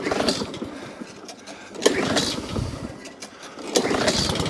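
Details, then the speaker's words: Alco Silva 520 BR lawnmower after drive and throttle cable repair, pull-started on choke, dead-man tested: catches, brief rough petrol rasp, cuts out promptly; drive throttle cable could use more adjustment; normal start-up and shutdown. "so starts and stops good click so it could have a little bit more on that throttle on the um drive"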